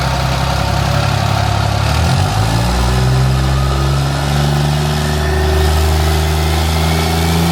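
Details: 800HP compound-turbo diesel shop truck after final turbo install, oil leak thought repaired, sound test: deep lumpy idle with early rev blip, then settles evenly with no hiss or whistle from turbo side; normal.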